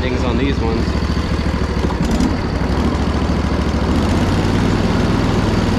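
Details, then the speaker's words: Poulan Pro zero-turn with moss on the seat, apparently sat at least a year, with a battery dated two years ago: a steady, even drone with the deck engaged and no spindle growl or knock. Normal running. "there is no way that you could have paid me to know that this machine would run that well looking at it"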